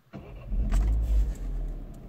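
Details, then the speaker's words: Citroen DS3 THP 165 1.6 turbo petrol convertible, cold start the following morning; starts at once into a low, steady smooth idle with no ticking or stumbling; normal, owner unsure any issue exists. "Oh, that's smooth idle, isn't it? I don't know, maybe I'm just worried too much about it."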